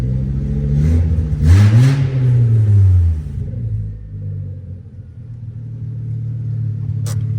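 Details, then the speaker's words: Rebuilt MK5 Jetta (02Q gearbox), road ready after repairs: deep raw rumble swells on a rev blip, settling to a loud burbling idle; very loud exhaust because it runs on open headers with no exhaust fitted. "so basically now I'm just going to focus on trying to get a proper exhaust back on this thing and making it sound better cuz it was just open headers"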